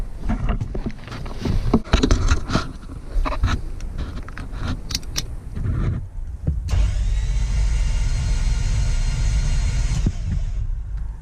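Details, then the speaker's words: FJ62 Land Cruiser barn find, unrun 10+ years, compression test on cylinder 4 reading 0: starter cranks at a fast, even pace with no heavier beat on one stroke, meaning no compression in that cylinder. "All right, if you've learned anything so far, you know that that noise means that there is no compression in that cylinder."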